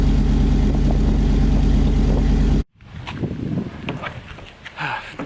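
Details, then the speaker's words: 2006 Ford F150 idling after a side-exit exhaust pipe was installed with a flexible exhaust repair kit: deep, even burble with steady pulses for a few seconds, then shut off; exhaust sounds healthy and secure. "Alright guys, so we know it sounds good, we know it's secured and locked on there."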